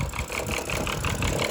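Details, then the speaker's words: BMW 5 Series with a warning chime still sounding, due to go to a shop: uneven chuffing idle with pulses about six a second that wobble in strength, not idling right, cause unclear. Rough idle. "it's acting, it's not idling right. So, but it'll be taken to the shop and it'll be taken care of and we'll get it done."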